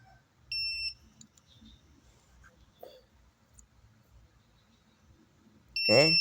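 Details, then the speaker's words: Polytron slim TV that is dead and squeals: multimeter on a transistor gives a short high beep, then a steady beep across the legs in both directions; the transistor is shorted and is removed. "Oke bunyi dan dibalik enggak boleh bunyi oke oke positif bisa jadi ini transistor sudah jebol langsung dicopot saja"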